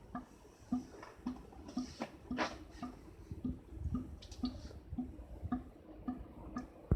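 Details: Air conditioner: a regular hollow plinking drip, roughly two a second, echoing as if inside a pipe. Dripping noise, cause unclear.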